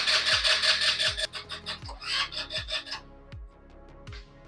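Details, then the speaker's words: Scooter after stator replacement, key on and start pressed: fast rhythmic cranking chug near three beats a second that never catches, then stops; no spark because the new stator's butt-connector lead was disconnected. "I just went to go tighten this up and it just came off so this thing actually actually was not connected so I got them really connected now they're not coming apart"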